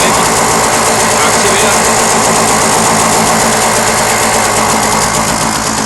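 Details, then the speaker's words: Puch MS 50 two-stroke moped, 39,375 km, numbers-matching, perhaps idling slightly high: busy, buzzy idle stays even as the clutch is engaged, no clunk, bang or whine from the clutch; normal clutch engagement. "Prøv lige at aktivere koblingen, så kan du se, om du kan høre forskel i lyden her. Klar? Det er nice, hva'? Ingen hylen fra koblingen."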